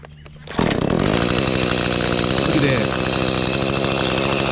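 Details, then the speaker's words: Echo CS310 chainsaw after carburetor cleaning and tune-up (previously wouldn't start, idle or cut): small two-stroke catches and settles into fast, even buzzing idle without choke; steady and clean, idling properly. "got cs310 Echo running good uh cutting everything's hitting"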